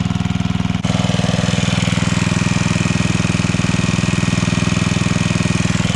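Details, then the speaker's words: Coleman Powermate 5000-watt generator engine pulsing about twice a second, loping and not holding speed, putting out only about 80-something volts; running poorly, owner plans a new spark plug. "so yeah on our voltage we're only getting 80 something so definitely not running right"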